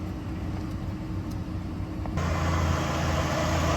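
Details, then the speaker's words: 2008 Jeep Liberty after a no-crank, no-start, no-power fault: it starts after jump and reinstalling the J13 fuse, then gives a steady, even low idle rumble with no misses, knocks or squeals. The suspected cause is a bad TIPM. "um so I guess I shocked that tip um back to life uh very odd and it starts so I'm gonna call that a bad tip"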